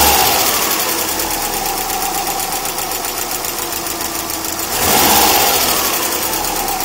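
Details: Subaru EJ20K boxer engine at idle: fast, even light ticking that briefly swells as revs rise. Owner suspects piston slap, timing belt tensioner, AC or lifters; not confirmed.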